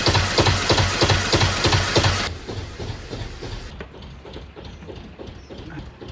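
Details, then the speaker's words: Vintage narrowboat engine (valve timing adjusted, oil changed, injectors reconditioned last year) idling after start, oil pressure dropped from very high: slow, even thudding about three beats a second, quiet with no misses; surprisingly quiet, normal idle. "Yeah, you can hardly really notice it. I thought it'd be really loud."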